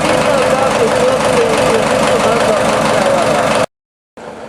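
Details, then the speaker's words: New TDME-490 58 hp marine diesel with 3:1 hydraulic reducer, replacing a 4Ch 8.5/11 in a motorboat, idling with engine compartment open: loud, even diesel clatter, no odd knocks or misses; healthy engine. "Вот такой шум производит двигатель от ГУМИ 490 при открытом моторном отсеке."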